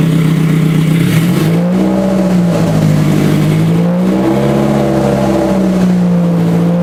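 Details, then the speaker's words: Scion FR-S with rebuilt 3S-GE engine swap, first start after installation: engine catches and revs freely, pitch climbing and falling with throttle, slightly uneven but running. "now at least you know the engine works and it's funny right yeah"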